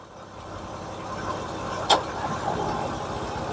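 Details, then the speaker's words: 2011 Toyota Sienna at idle, 64°F outside, AC not cooling: a magnet held on the sensor switch under the hood gives one sharp click near two seconds as the compressor clutch engages, then steady idle; the cabin starts cooling. "There's the click. The compressor is running. I don't need to keep the magnet there."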